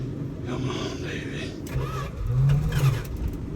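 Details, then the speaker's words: Old farm truck in sub-zero Alaskan cold, started after pouring a little gas in: engine stumbles, then catches and revs unevenly before settling after long cranking; engine catching after extended cranking. "oh you hear that she's trying she's trying can't falter for trying now can you oh she'll start she'll start she'll start come on baby"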